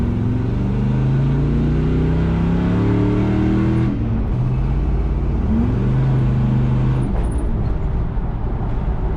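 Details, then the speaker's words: Travelall with LS-swap 4.8 V8 after new spark plugs fixed a misfire, driving with trailer: pulls up and eases off through the gears with a clean even note, no stumble or miss; normal acceleration. "definitely running way smoother after y'all seen them plugs I probably don't gotta try very hard to convince you all that y'all already know"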